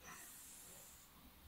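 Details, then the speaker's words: 2018 Ford Transit Connect diesel in limp mode two days after service, idling; soft steady airy hiss in engine bay from boost air escaping a melted intake hose; turbo boost leak. "see see the here leaking boost here see boo leaking"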